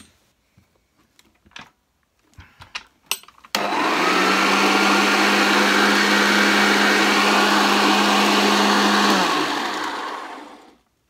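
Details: Refurbished Hoover Junior 1334 upright vacuum plugged in: switches on to a strong, steady motor whine with even hum, then winds down smoothly at shutoff; motor sounds healthy.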